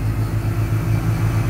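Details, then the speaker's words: 2005 Honda Odyssey at first start after timing belt, water pump and rear catalytic converter work: loud low chuffing pulses at idle. Exhaust leak at the loose rear catalytic converter joint, which is not fully connected. "i expected that exhaust leak that catalytic converter is not completely connected"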